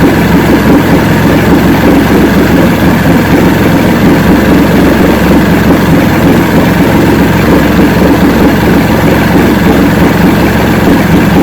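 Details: 1970 Evinrude 85hp two-stroke outboard (called a Johnson), hydro-electric shift, about 50 years old, new water pump impeller fitted, running in a water container after shift tests: steady even idle drone without surging or dropouts; carburetors judged good at idle, full throttle untested.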